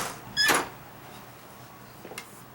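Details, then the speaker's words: Garage-to-house door with adjusted self-closing hinges: one firm latch thump as it swings shut on its own; still closing fine. "Okay, here, we're going to try it here. See, it's still closing fine."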